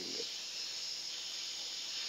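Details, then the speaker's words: Polytron refrigerator that still has freon but won't cool, compressor humming harder, line opened to test: a steady, high, sharp hiss of gas escaping with no low sound behind it. Refrigerant trapped by a blockage. "Ini yang namanya mampet ini, ya. Yang namanya buntu ini, ya. Yang namanya buntu ini begini nih."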